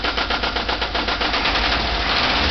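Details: VW Type 4 air-cooled 2-litre engine running with a sharp, fast metallic knock at about nine or ten per second riding on the engine note; a clear internal engine knock.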